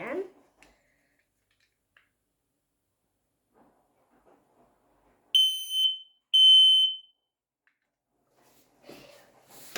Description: We are testing five home alarms, four of them are smołę detectors, and one is a carbon monoxide detector.